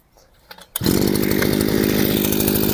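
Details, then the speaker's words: Chinese petrol brushcutter with carburetor mixture screw turned half a turn off its correct setting: starts and runs with flat, strained buzz that never clears; lean mixture chokes it, lacking power and traction. "It turns a little more. So, the brushcutter is choking, it doesn't have enough power."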